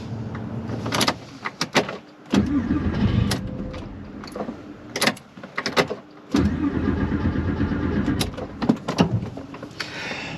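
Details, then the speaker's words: Porsche 911 with a 24-year-old fuel tank, run nearly empty, died while driving: bursts of cranking with pauses and clunks, never firing; owner suspects sediment clogged the fuel filter or ruined the fuel pump, unconfirmed. "And it just stopped. Yeah, we're rolling backwards now. There's no way it's gonna crank up"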